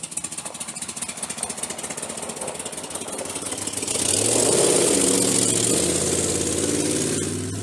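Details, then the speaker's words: Same V8 truck with cylinders 6, 7 and 8 misfiring and a suspected wiped-out cam: lumpy, choppy idle, then a rough rev that never smooths out while trying to run and drive. The rough-running engine is thought to need replacing. "[Music] It ain't happy, but it's running."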